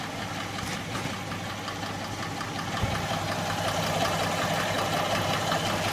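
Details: Hyundai Tucson at steady idle with a light, quick tapping keeping pace with the engine, attributed to noisy hydraulic lifters; hydraulic lifter tick.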